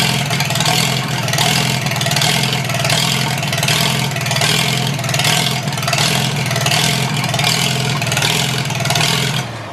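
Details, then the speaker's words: Farmall H four-cylinder tractor starting in cold, windy weather after its cables were cleaned; it leaks some gas. Lumpy, uneven running with a surging, pulsing exhaust note that never settles, not on all four cylinders. Rough running, misfire. "Once she gets running on all four, it usually goes. Just got to get it to run on all four."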